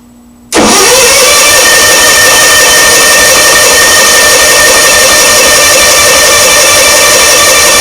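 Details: Onan engine after replacing the coil (V-Twin motorcycle coil) and wires, spark confirmed: loud continuous cranking for several seconds without catching, unburned fuel vapor puffing from the exhaust manifold, occasional firing; cranks but won't start, cause unknown, battery running down.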